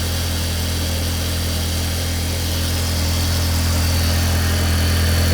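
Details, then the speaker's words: 2004 Audi A4 Avant 1.8T automatic, started after cam/rocker cover gasket and spark plug replacement: smooth, even idle with steady low rumble, no knocks; a little smoke from oil spilled during a recent oil change, no obvious oil leaks. "Running okay. That noise you may have heard is because I also changed the oil recently, and some of the oil went down into the flag, so a little bit of smoke here."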